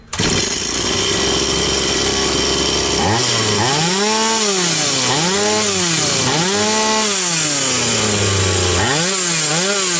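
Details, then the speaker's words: Stihl 180 (MS180) chainsaw after piston and crankshaft seal replacement, throttle linkage just redone: revs surge and sag in repeated waves, hunting unevenly; owner suspects something got in, carburetor not yet disassembled, cause unconfirmed. "Не знаю, щось попало. Напевно. Треба ще карбюратор розібрати, бо я лінтяй не хотів розібрати його."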